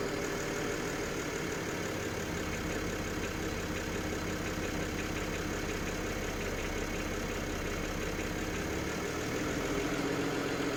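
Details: BMW N53B30 cold start, idle dropped to about 700 rpm: loose uneven metallic clatter, source unclear, maybe oil pan or exhaust manifold. Oil pump replaced and rod bearings checked good; noise eases with slight revs and almost disappears once warm after 8-10 minutes.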